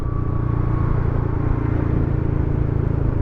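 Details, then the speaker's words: Yamaha Xmax scooter with stock dB killer removed from exhaust, at cruising speed: steady loud raspy low drone sounding like a leaking exhaust; loud exhaust with dB killer removed. "Memang sih berisiknya kayak knalpot bocor suaranya ya."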